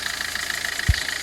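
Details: 2007 Kia Rio CRDi diesel, 270,000 km: at idle, a quick, even metallic ticking rides over the clatter; owner suspects timing chain noise, not confirmed.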